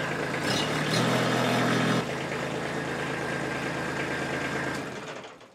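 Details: Kubota B2601 tractor diesel during its 50-hour service, started briefly after an oil and filter change to fill the new filter: even, steady idle clatter with no odd knocks, winding down smoothly at shutdown; normal diesel idle.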